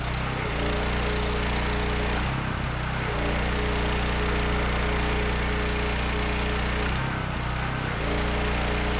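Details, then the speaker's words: Mi-T-M 4000 PSI, 4 GPM gas pressure washer, gun valve open, thermal relief valve leaking. Steady engine drone with a firm low hum, holding speed under pump load with a couple of short dips. Runs healthy, no pump stutter. "Oh yeah. Hey, man, I tell you what, I'm fairly impressed with that. That worked out. I expected to find something else wrong here."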